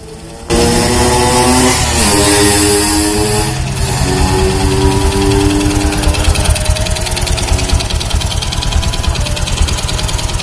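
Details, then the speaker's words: Honda Supra X 125 motorcycle idling with a light, uneven "tek tek tek" ticking from the clutch housing, loudest on the right side; centrifugal clutch lining worn down to bare metal, causing rough engine sound and power loss. "lebih dominan di sebelah kanan Lebih dominan di daerah sini nih lebih dominan kalau dari sebelah kiri agak Tidak kedengeran suaranya terdengar jelas tek tek tek tek"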